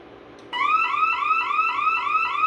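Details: Bosch Radionics 4012/8012 intrusion panel on a demo setup: a loud whooping siren repeats about three rising sweeps per second after the rear motion zone is tripped once the armed exit delay expires, an intrusion alarm.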